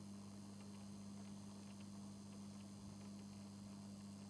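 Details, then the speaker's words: 2019 Lynx Ranger Pro snowmobile, a hard-worked forestry machine with high mileage: a newly fitted coolant pre-heater is plugged in. Its small circulating pump gives a faint, constant electric hum at fixed pitch with no rattle or surging. Warmth and coolant movement are felt. Normal pump operation. "Well, we can hear the pump running. And I can feel some warmth. And we have movement."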